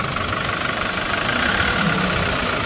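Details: Hyundai Porter2 D4CB diesel with blow-by, black smoke and diesel mixing into engine oil: rough, clattery idle with a steady rapid knock over the drone, more than normal injector tick; cause suspected, not confirmed.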